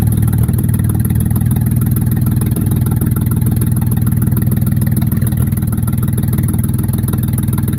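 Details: Mercedes E-Class W210 E240 V6 petrol, 116k miles, no exhaust fitted: loud open-pipe idle with uneven stumbling thumps about three a second instead of a smooth beat; misfire.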